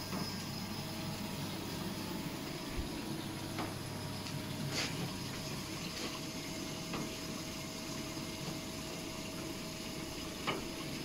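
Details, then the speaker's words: New bandsaw with band deviation detector cutting stainless steel rods: steady low motor hum with even blade hiss and faint ticks, no grinding or chatter; cutting smoothly. "cutting some aluminum today right now i'm cutting some stainless steel rods"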